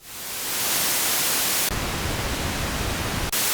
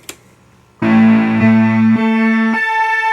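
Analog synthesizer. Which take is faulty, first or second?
second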